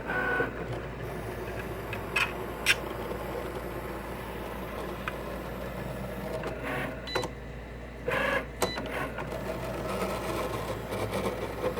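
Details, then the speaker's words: Cricut Explore Air 2 while cutting: soft motor hum with irregular scratchy, crunching bursts as the carriage moves; the source of the scraping is unknown. "it's that noise, that crunch, whatever noise, that scratching noise. You hear it?"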